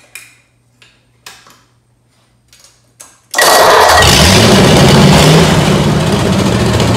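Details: Ford 8BA flathead V8 (1949–53), bought painted off Marketplace, with a suspected fuel pump diaphragm/top-cap leak: a few cranks and taps, then it catches and holds a fast, steady idle that never drops; carburetor suspected.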